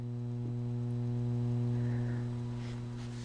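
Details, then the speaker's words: Audio amplifier project on AC mains: steady low hum with buzzy edge, unchanging; ripple injected from the transformer, rectifier and filter power supply into the amplifier, distinct from input-picked noise. Mains ripple hum. "Well, this noise is injected into the amplifier from the power supply when operated from the AC mains"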